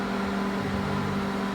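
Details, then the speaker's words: Microwave heating water after magnetron and mica cover replaced (had been popping and sparking): steady mains hum with smooth fan whir, no popping or crackle; running normally. "micro-ondas voltou a funcionar normalmente Tá bom vou ponhar mais 30 segundos ou mais 30 segundos tá aí a microonda voltou funcionando normalmente né"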